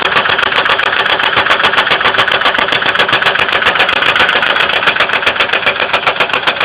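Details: 2002 Ford Windstar 3.8L: steady tapping about three to four per second at idle; engine oil level raised and light-brown milky, some spilled on ground, coolant not significantly low; appeared overnight after running fine; engine knocking, cause unconfirmed.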